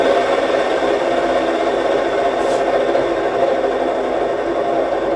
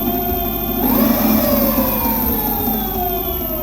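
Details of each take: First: E-bike hub motor bearing spun: steady, dry, gritty rasp with no rhythm or pitch change, whereas a fresh bearing is practically inaudible. Dry wheel bearing. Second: E-bike hub motor with a fresh new bearing: smooth motor whine sweeps up and settles, with a faint high-frequency squeal from the controller and low fridge hum. The fresh bearing is practically inaudible with no growl, so the motor runs normally.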